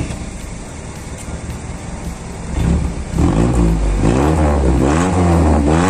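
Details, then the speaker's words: Ford Laser after replacing the broken exhaust's front resonator (middle one no longer functioning); quiet idle, then throttle blips bring a deep, smooth, bassier, somewhat louder exhaust note, no rattles or blowing; normal exhaust note. "oruro nah guys jadi begini suaranya ya Eh sudah lumayan keraslah bagi saya karena saya tidak begitu suka yang terlalu Karya"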